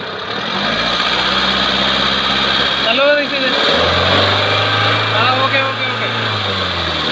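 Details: Hyundai Santro making loud noise on starting: at idle a wavering whirring tone over the engine's steady run; worn power steering pump bearing, fixed by replacing the bearing.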